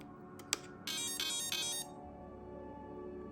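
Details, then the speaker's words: Hobby Plus/Furitek 2024 T Hunter brushless RC truck, ESC switched on after receiver: short run of bright rising electronic tones, then steady low hum as it arms; normal power-up chime, controller connected. "We've got power, we've got life, and we're going to turn on the ESC. I'll keep quiet doing this because I love that sound."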